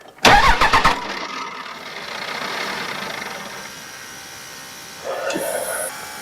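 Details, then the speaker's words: 2001 Dodge Ram 3500 diesel, after replacing the VP44 injection pump and lift pump, bleeding fuel system: short 2-second starter crank then steady electric lift pump hum; power and pump running, normal cranking with fuel pump running. "Okay, so we've got power, we got pump."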